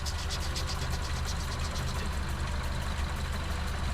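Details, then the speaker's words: 2009 Mini Cooper S after head gasket, timing and turbo work, first start, not fully warm (115°), oil pressure 30: sharp even ticking over idle; owner suspects high-pressure fuel pump, not engine knock, unconfirmed. "I keep thinking that's like engine knock, but it's not. It's coming from like the high pressure fuel."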